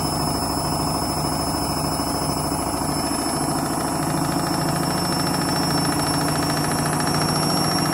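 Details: Candy washing machine on Rapid 30 mini-load program, final spin thought to be about 1000–1200 rpm: loud rhythmic thumping about three beats a second with a rattling roar as the drum spins up; noisy spin, cause unclear.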